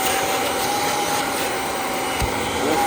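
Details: Kirby G5 vacuum cleaner test run after replacing the fan impeller: smooth, constant airy whirr with no rattle, scraping or wavering pitch; motor and fan running properly.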